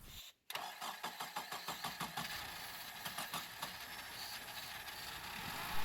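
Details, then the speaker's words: 2008 Honda Civic Hybrid (FD3) with crank no start and no DTCs: rapid even cranking pulses, then it catches and runs on contact cleaner sprayed into the intake, confirming no fuel delivery as the cause. "Bingo, it started. That means no fuel delivery issue was the cause for crank no start on this car."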